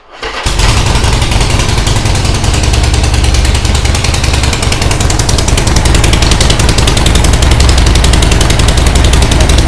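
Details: Harley-Davidson Sportster 1200 just after replacing the ignition coil and a snapped front gas tank bolt: fires within half a second and settles into a deep, even potato-potato beat, about three pulses a second; starts and idles healthy.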